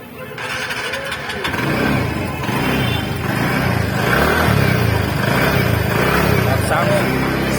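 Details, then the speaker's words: TVS NTORQ 125 scooter at 4318 km, after repair of a loose flywheel magnet nut that caused an engine noise: engine catches and settles into a steady, even idle with no knock or rattle from the flywheel side; sound gone. "सुन सकते हैं थोड़ा भी sound नहीं है before sound अभी after का है"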